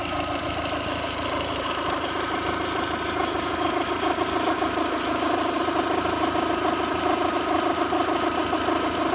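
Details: VW 1.8T at first start after timing belt, tensioner, idler, metal-impeller water pump, thermostat and crank seal replacement: dense whirring rattle that rises with rpm; owner suspects the water pump, not confirmed.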